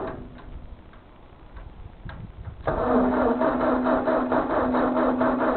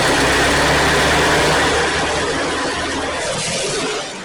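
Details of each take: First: Ford 2N tractor, unused for years, fuel system cleaned, cranked on a new jump pack: starter whirs steadily at about two beats a second, but the engine never fires. Cranks, no start; owner suspects the distributor points, unconfirmed. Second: Ford 2N tractor (serial believed 1946), unused for years, just started after cleaning the battery, air tube off the carburetor: steady low rumbling tick-over with no misses or knocks. Normal idle.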